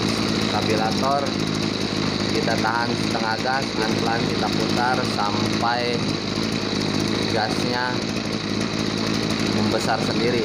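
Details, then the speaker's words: Two-stroke agricultural backpack sprayer engine that lacked power and bogged on throttle, during air-fuel mixture screw adjustment after cleaning: a high buzz swells and sags, running heavy and blubbery. Mixture too rich. "ya Regita putar pelan-pelan kita tahun setengah Gan Hai ini terlalu boros kita kembalikan hutan belakang"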